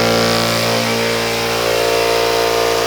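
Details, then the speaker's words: Old-school piston air compressor running normally, about 87 dB a few feet away versus 67–68 dB for an Eastwood Elite QST-30/60 scroll compressor; loud, steady mechanical clatter with a constant pumping beat and fixed pitch. "so the eastwood compressor was right about 67 68 decibels something like that and we were at 87 decibels a few feet away from the piston compressor running so it's a pretty big difference"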